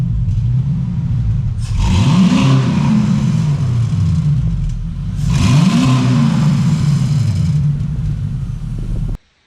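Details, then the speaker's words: Pontiac Trans Am with LS swap, long-sitting, new Black Widow exhaust and block-off plate: two clean rev blips rise and fall over deep even rumble, tick going away as oil pressure builds, no knock; healthy revving. "And the tick's going away, so that's good. We're getting oil pressure. But listen to this. Sounds good, dude."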